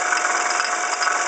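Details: 1995 Ford Escort: fast, tinny metallic rattle at steady idle from the passenger-side belt area, traced to a water pump pulley damaged in an accident to the passenger-side fender; alternator replaced first, serpentine and timing belts checked fine.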